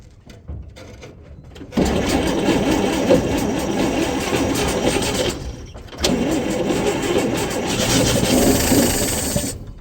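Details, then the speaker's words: 1958 Chevrolet Apache with its original 235 straight six, parked since 1970, after a 12-volt and alternator conversion: two bursts of rough cranking, ragged firing catching briefly on starting fluid. "it fired up it fired up boys"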